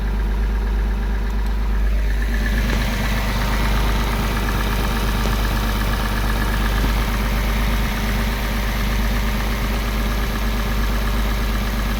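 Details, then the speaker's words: Porsche 986 Boxster after IMS bearing replacement and reassembly, no engine light: starts and settles into a steady, even idle with a smooth low rumble and no knocks or misses; runs much smoother than before. "the engine runs much smoother and nicer"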